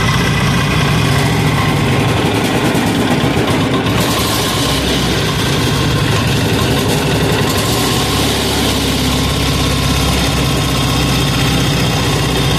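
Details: 186FA single-cylinder diesel running on Road Tech synthetic blend 10W-30 motor oil as fuel, throttle about half, possibly with a little diesel left in the line. A steady, heavy thump at even idle speed with no stumbles; it runs smoothly.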